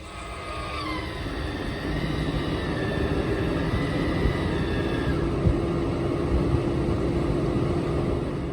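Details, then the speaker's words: MaxxAir roof vent fan in a 2018 Ford Transit camper van, just remounted after replacing its lift motor and keeping the gear coupler. A steady whirring hum that rises briefly, then holds even: normal fan operation after repair. "You can see I got the fan back up in place. It's running, you can probably hear it."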